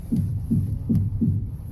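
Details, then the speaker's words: 2011-2019 Ford Explorer, steering turned: four dull low clunks about 0.4 s apart; front strut mount bearing contaminated with dirt/sand, fixed by replacing strut mount, clunk gone after. "지금 핸들을 돌릴 때마다 덜컹덜컹 클렁크 소리가 납니다. 지금 익스플로러에서 비포장이나 시골길을 달린 차들이 많이 이런 증상이 나타나거든요."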